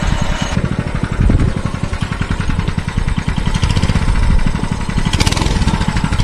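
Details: Mini bike that stalled whenever throttle was applied, running after the carburetor spring was removed: small single-cylinder engine pops along at a steady, even beat with no stumbling. Stall fixed, though the gummed-up carburetor still fouls the spark plug.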